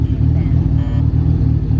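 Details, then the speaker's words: Honda Del Sol, stock D16Z6 single cam with eBay turbo kit, first start before tuning, wideband reading only lines: lumpy shaky idle surging and sagging, maybe smoothing out slightly; rough idle. "yeah you can see I don't know if you can tell on camera but the motor is really shaky I don't know if it'll smoothen out at all sounds like it might smoothing out a little bit"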